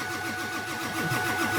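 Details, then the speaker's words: Diesel truck cranking in about 6–12 degree cold, battery getting low: starter turns it over in a steady slow rhythm with no firing; fuel not gelled but no high pressure oil to open the injectors. "so what we just determined right now is that the fuel has not gelled, but there is no high pressure oil to open the injectors"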